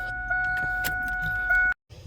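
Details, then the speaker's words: Drag car with Alloyworks surge tank after replacing a failed fuel pump: steady high electric whine under two seconds as the key is cycled to fill the surge tank, then cuts off cleanly; normal priming. "now we should be able to hear the pump cycle yep"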